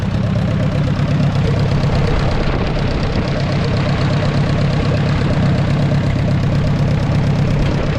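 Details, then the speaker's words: 1944 Ford 2N tractor idling just after the generator belt was hooked up; it has no temperature gauge. A low, heavy idle carries a regular knock at about three per second. The source can't be pinned down and the cause is unclear. "man it's so hard hard to tell not even here feel bad now something's going on I can't tell what"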